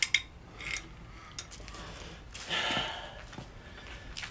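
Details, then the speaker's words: 1950 MG radiator freshly recored; shaking it gives light, irregular metallic clicks, as if a nut or something loose is rolling in the bottom tank. "like it's got a nut or something loose well shouldn't be any nuts in them at all um in the bottom tank"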